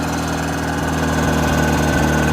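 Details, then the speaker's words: Chevy Tracker 8-valve petrol engine, which had been running rough and misfiring, now idles smoothly and evenly after new spark plugs, started with carb cleaner. Normal idle. "so i am just throwing some carb clean in there um it's running way better already uh"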